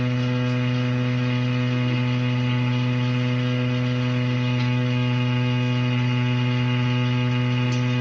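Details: Shower pipe gives a loud, constant low drone with a buzzy edge at one pitch throughout; a resonating shower pipe, cause not yet known.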